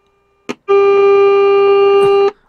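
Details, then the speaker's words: Hallicrafters SX-99 receiver during restoration, probe on pin 5 of the 6H6 detector tube: a click then a clean steady buzzy tone; detector stage passing signal properly. "I would say that's working"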